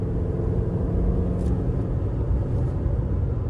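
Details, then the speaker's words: 2019 Toyota RAV4 on newly installed Michelin Defender2 225/65R17 tires, highway speed around 60-70 mph: low steady road rumble with no rising hum or rhythmic drone; normal, quiet tire road noise after replacing humming worn tires. "And the tires are very quiet now. Smooth. Handles very well. You could feel the the road less."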